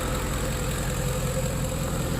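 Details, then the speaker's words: 2010 Ford F-150 4.6 V8 after engine rebuild and reinstall, exhaust leaks fixed, warming up: smooth, even low rumble with no knocks or ticks; normal idle. "exhaust leaks are fixed i just got a muffler eventually that's working sounds really good"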